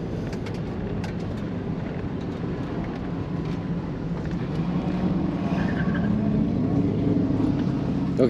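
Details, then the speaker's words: Chevy S10 with 4.3 Vortec pulling hard on an autocross run, irregular sharp pops and cracks throughout; ignition misfire and backfiring caused by a failed distributor whose top plate slips on the shaft, later replaced. "and listen close cuz you're going to hear a whole lot of popping"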